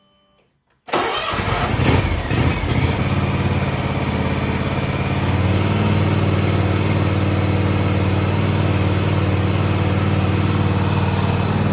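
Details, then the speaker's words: John Deere X590 mower after engine-to-transmission drive belt replacement: small petrol engine cranks, catches and settles into smooth steady idle with normal engine and exhaust sound, the earlier ticking gone. "You should be able to compare the before and after sound there, and the ticking is gone. So you just hear the normal engine sound and the sound of the exhaust."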